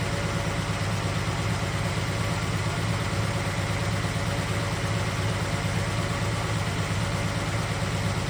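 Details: 1969 Chevelle SS big block, sat 37 years: lumpy V8 idle, loping about once a second over a steady rumble, one cylinder seemingly missing. Exhaust pyrometer finds cylinder 3 coolest (about 350°). Owner suspects plug wire, carburetor junk from long storage, or fears a lifter or valve issue.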